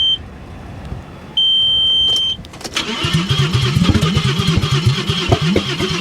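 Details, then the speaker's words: Audi A6 wagon at salvage auction, catalytic converters stolen, on booster pack: engine catches, runs rough and lumpy with warning chime, then dies when put in gear; low oil pressure warning, cause unknown. "it actually fired right up and it ran pretty decent for a minute as soon as i went to put it in gear it died that's a shame"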